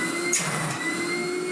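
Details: 1980s AEG Compact Electronic 406 vacuum cleaner after full restoration: smooth, even motor roar with steady high whining tones and no rattles or surging; running healthy.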